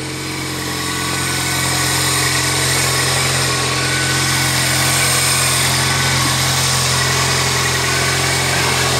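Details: 1999 Toyota Corolla 1.8 just started after the power steering pump pulley repair: steady, even idle hum at constant pitch, no squeal or chirp from the belt side; idling healthy.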